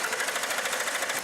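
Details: Sable that would not start, compression heard and good spark confirmed at the plug boots: quick, even starter cranking churns on without ever catching.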